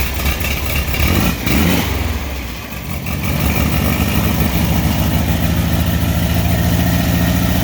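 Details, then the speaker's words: Fresh VW 1600 single-port flat-four, EMPI GTV tribute, on its warm-up cycle with distributor timing not yet set: a throttle blip rises and drops back to a steady, even idle with no knocking or misfire; running cleanly. "Not bad for a little 1600 single port. Of course, it's on a warm-up cycle right now."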